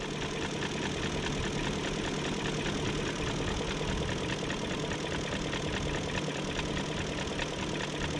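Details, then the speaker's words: 2001 BMW E38 740i V8 idling smoothly with light quick fuel injector ticking, after new timing chain, tensioner, chain guides, gaskets and seals; normal. "and i hear the injectors clicking"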